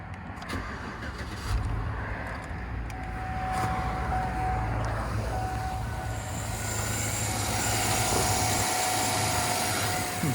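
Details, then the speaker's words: 2007 Chevy Suburban 1500 4x4 with the 5.3L flex-fuel V8 and 171,000 miles. Oil is slightly low, and the owner suspects an oil pressure sender issue. The engine catches promptly and settles to a steady, even low idle with no knocks or ticks. Oil pressure returned. Normal start and idle. "sounds fine interesting and okay it looks like i got oil pressure again interesting"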